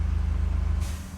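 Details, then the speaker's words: Gas-powered air compressor reaching its set pressure and cutting out: a steady low engine throb, then a sudden hiss as a valve bleeds off excess pressure and the engine settles; it restarts once pressure drops below 8 MPa. Normal unloading at cut-out. "There you go, it just cut out. Once it drops below 8 MPa, the motor starts back up again."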